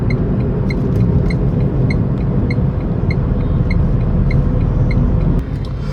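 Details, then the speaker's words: Tata Tigor BS6 three-cylinder petrol car heard in the cabin with AC on at fan speed two; steady low road rumble and soft even AC fan hum, nothing intrusive, normal. "so i'm gonna turn on the ac now i'm keeping the ac speed in two so this is what the sound you'll get inside the car when the ac is turned on"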